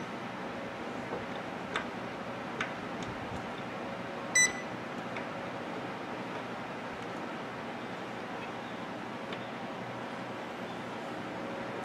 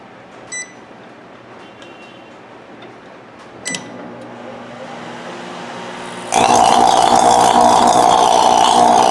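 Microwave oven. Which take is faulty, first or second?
second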